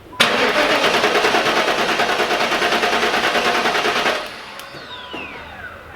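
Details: LT1 Pontiac Trans Am (4th-gen F-body), cylinder one compression test, second attempt, with the coil wire unplugged: even cranking at about three pulses a second for four seconds, then it stops. Reads about 160 psi, normal.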